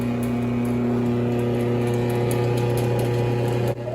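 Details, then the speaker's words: Older chain-drive garage door opener with the door stuck open and the chain possibly slack: the motor hums steadily with chain rattle, then cuts out sharply while the door doesn't move; opener runs but the door doesn't follow. "The motor is definitely moving, so it's not an electricity issue. The chain is moving, but for some reason the garage door is not closing, and it doesn't seems to be on track."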